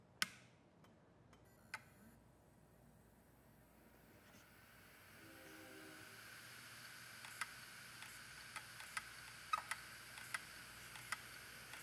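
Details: Opened Iomega/Samsung Barracuda hard drive, scratched platter: spins up with a high hiss, then sharp irregular clicking as the damaged heads fail and reset before it burns out.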